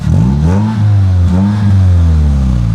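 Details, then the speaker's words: Car just fitted with a new exhaust: revs rise and fall cleanly with a deeper, fuller exhaust note and no rattle or blow; sounds a lot better, healthy. "sounds a lot better I like that"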